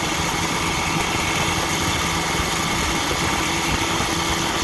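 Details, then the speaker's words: 1959 Evinrude Golden Jubilee Sportwin 10hp two-stroke outboard on a test run after a full tune-up: ignition redone, rebuilt carburetor, fresh water pump, good clutch dog, rebuilt 1954 Johnson gear case. Fast, even buzz with a steady beat and no misses or knocks; powerhead running smoothly. "so we're just out giving it a run to see if the power head is doing okay now so let's fire it up and give it a run see how it does"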